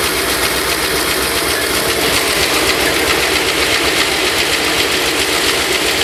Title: 302 Clicking Noise?